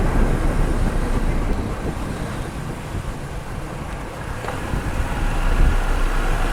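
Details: Final road test with a microphone installed, after repairing wheel noise when braking: only low tyre and road rumble with some wind as the car slows, no squeal or grinding; brakes now quiet.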